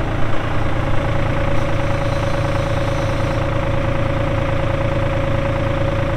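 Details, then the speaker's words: 1999 New Holland TN65S tractor, 4,162 hours: steady even diesel clatter at idle with a constant whine over it, no knocks or stumbles; engine sounds good, AC cold, hydraulics strong. "like I said AC is blowing cold Hydraulics are strong engine sounds good"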